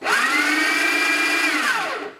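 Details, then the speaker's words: Breville Smart Grinder Pro after cleaning and repair, set at 18/6, motor spins up with a shrill steady screech over the grinding for two seconds then winds down; abnormal squeal persists, cause unknown. "uh I'm just gonna leave it at 18 6 and see what we get up well I still making like that screechy noise I don't know if you could tell from from the the camera but listen to this"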